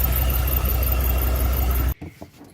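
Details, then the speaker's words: 2002 Chevy Avalanche, freshly swapped engine on its first start: loud low rumble with a thin steady squeal until shutdown; suspected valve noise, and valve cover removal showed most pushrods bone-dry, not passing oil. "sounds like it might be a valve go ahead until this I think I want to pull a valve cover real quick"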